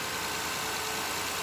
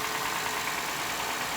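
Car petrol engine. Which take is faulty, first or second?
second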